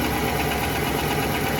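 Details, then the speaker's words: 2018 Nissan Titan Platinum Reserve V8, cold-to-warm idle, climate control on, mic above driver's front wheel: dull rapid knock under idle, louder when fan/AC clutch engages, gone when revved; dealer scope found piston slap in cylinder 7. "I also noticed the knock, that goes away when you give it a little bit of gas as well."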